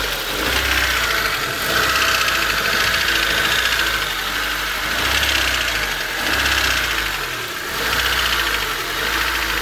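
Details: Honda Civic D16Y8 petrol engine at hot idle: light, fairly regular tick about four per second over engine hum; started suddenly, no power loss, 185 PSI compression on all four cylinders, valves already adjusted.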